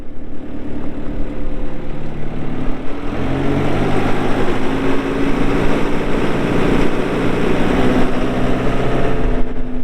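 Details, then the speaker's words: 2020 Mustang 2150RT skid steer, 72 HP Yanmar diesel, 2,351 hours: steady, even diesel idle with a deep low rumble and no knocks, misses or rattles; normal idle. "We'll let you hear the engine, show you the hydraulics are strong, show you that it runs and turns strong to both directions."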